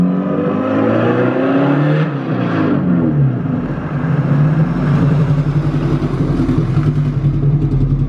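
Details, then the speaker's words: Engine under load: lumpy, uneven pulsing below full throttle that clears at full throttle; part-throttle misfire, fuel-related cause suspected. "anything under Full Throttle you go Full Throttle it clears right up but anything under Full Throttle it has that sound to it so I I think it could be something fuel like what you're saying"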